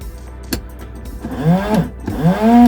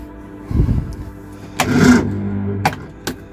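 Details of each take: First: Early-2000s Reliant Royalty Eddie Stobart Supervan during revival electrical checks: two short whirring bursts rising in pitch, holding, then dropping as each spray ends; washer pump works normally. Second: Early-2000s Reliant Supervan on jump starter in start mode; starter turns the engine over very slowly in laboured bursts, owner suspects the totally dead battery is drawing too much power; slow cranking.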